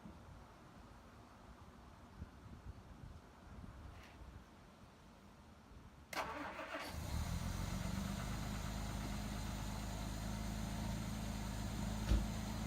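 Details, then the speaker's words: 1967 Jaguar Mark II, off the road 20+ years, after valve cover work: starter engages and the engine catches into an even, steady low idle. The RPM reading is about 9.5; it runs cleanly, though the overflow is spewing. "What's the RPM say right now? Right at like 9.5. Perfect. Wow, that sounds good!"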